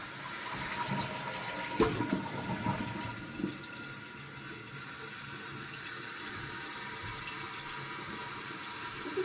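Steady trickling and hiss of water running into the bowl without pause, a toilet that keeps running and leaking from the tank.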